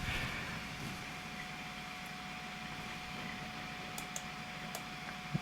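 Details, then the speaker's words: Salvaged vintage Apple Macintosh booting to System 7.1: quiet, steady fan hum with a faint constant whine and a few light clicks while spinning up. Machine healthy, needs no fixing. "spinning up spinning up nice now it's coming up wonderful wonderful"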